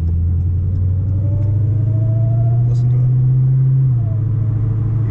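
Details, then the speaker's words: 2018 Dodge Demon supercharged V8 pulling gently from 0 to 50; faint thin whine over the deep rumble is normal supercharger noise, nothing wrong. "Some people would hear that whine and think there's something wrong. Yeah, that's the supercharger. That's the supercharger."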